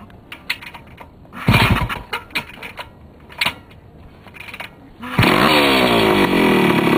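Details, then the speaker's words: Restored Yamaha CT175 two-stroke with rebuilt carburetor and pod filter: clicks, then fires at once and settles into a steady, crisp idle; normal start and idle. "this is one of my better starting machines in my house I don't think I've got anything that starts as well as this does"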